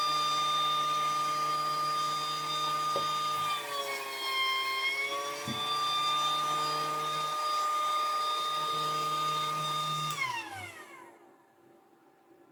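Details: Battery-powered pool pump after cleaning and spraying a suspected loose electrical connection that caused intermittent starting: steady high whine with low hum holds ten seconds, dips slightly, winds down; now starts every time, problem solved.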